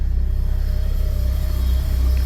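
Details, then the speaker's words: Porsche 944 at idle after welding repairs, charging about 13 volts: steady idle thrum with a faint constant unchanging whine above it; the alternator is still making a racket. "That alternator is still making quite a racket."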